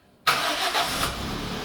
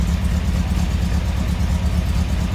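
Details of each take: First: Toyota engine started with fuel pressure allowed to build first: brief crank, fires instantly and settles into steady even idle within a second; clean healthy start. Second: Lumpy, uneven idle loping irregularly at about two beats a second, sounding like a big camshaft but thought to be a cylinder miss instead; cause unconfirmed. Rough idle.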